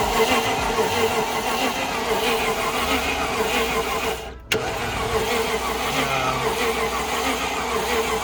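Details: Cheap Land Rover Discovery 1 after spraying fuel into intake: starter spins the engine with a steady even whir, one short pause, no firing pulse catches; cranks but won't start, cause unconfirmed.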